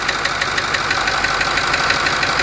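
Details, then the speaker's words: Ford 6.4 diesel V8 at idle: a sharp, steady knock about six a second over the clatter. Disabling the number 4 injector changes its cadence but the knock does not go away. "Here's the noise with number 4 cylinder disabled. It changes cadence, but it doesn't go away."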